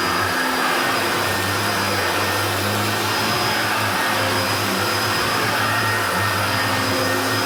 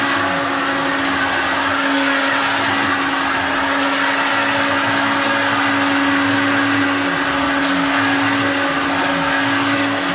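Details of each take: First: Hoover Turbopower Junior U1222 upright vacuum, little-used example that had seized on its pivots, running: steady, even motor roar with smooth rushing airflow, no rattle or bearing growl; sounds better than the other U1222, normal running. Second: Hoover Turbopower Junior U1222 upright vacuum, motor bearings never changed: loud steady motor roar with a fixed whine and rough gritty edge from worn motor bearings; still works well, new motor bearings should fix it.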